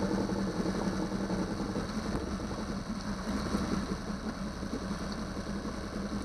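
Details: 2009 Yamaha 6 hp four-stroke outboard after no-start troubleshooting and an impeller change: steady low hum with even beat, no stumbling or surging; cooling water shoots far out the back; running normally.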